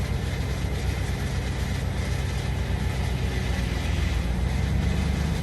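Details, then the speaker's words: GM 8L90 automatic after a fluid and filter service and internal harness replacement, during a fast adapt relearn at about 170 degrees fluid temperature: steady idle, then revs sag slightly as the transmission engages gear by itself; normal. "the rpm drop then it goes into gear there it goes"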